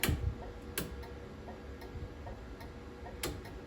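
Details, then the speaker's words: 1977 Chevy Camaro rewired with American Autowire harness: steady regular turn-signal flasher ticking while a blinker flashes when it shouldn't; owner suspects a ground issue grounding through the circuit. "I gotta figure this out on why that blinker would be going. And then also why that's blinking. Something tells me it's probably a ground issue, so I'm gonna have to chase that down."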